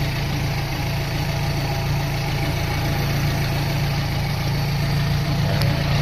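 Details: Steady, even low rumble at idle with no hunting or stumble after correcting reversed choke positioner and misrouted vacuum lines that caused high revs; engine settled and running smoothly.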